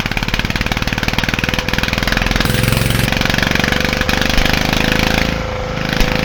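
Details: Petter AC1 diesel Kango generator, probably late 1970s, unrun for years, started near freezing: steady even diesel thumping with regular firing pulses and no misses; normal idle.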